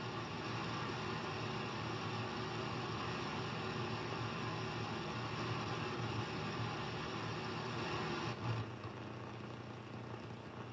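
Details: HF radio receiver: strange noise across the entire HF range except the amateur bands, an even rushing hiss with a faint low rumble that cuts and drops near the end; interference of unknown source.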